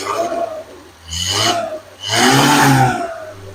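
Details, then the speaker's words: 1975 SEAT 850 first started since the 1990s, after fuel pump, plug wires and coil replaced: uneven revving surges with a raspy, blatting exhaust note wavering at idle; runs rough, exhaust problem noted. "it does sound kind of rough, but I mean this is a 20 years old sitting car."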